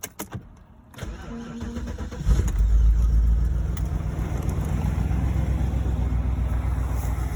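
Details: BMW 645ci after alternator replacement: brief crank, quick catch, then steady low even idle with no knocks or misses; charging voltage rises from 12.3 to 14.35 V; normal start and idle.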